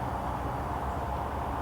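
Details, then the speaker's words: Holystone HS175D drone, motors unlocked after gyro calibration before takeoff: soft even hum with a faint steady tone, no rattle or grinding; motors spin up quietly and smoothly. "And it's now spinning. It's quite quiet actually."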